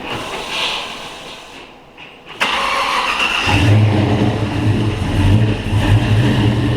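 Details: L83 5.3 direct-injection V8 from 2017 Silverado, swapped into Pontiac Safari wagon 4x4 with TH350, first start while bleeding dry power steering/hydroboost: crank, sharp catch, deep even idle, no misses or knocks; fires cleanly.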